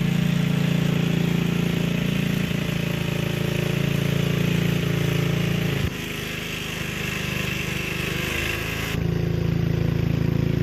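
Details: Gilson rear-tine tiller, a junkyard find from 4–5 years back, test run after cleaning dirt out of the sticky recoil. The small single-cylinder runs a fast, even beat, dips briefly under load, then recovers. Healthy running. A fuel leak was noted at the tank/carburetor seam.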